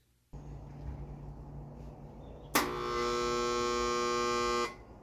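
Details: Central AC condenser gives a loud, steady electrical hum when switched on at the thermostat but never spins up; the common failure is the run capacitor, with the contactor as the next part to try.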